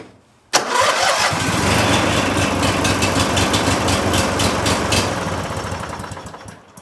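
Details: Lawn mower after spring tune-up with new battery and spark plugs, before oil change: catches at once, settles into an even steady idle with regular firing, no stumbling; starts much better than before; normal start.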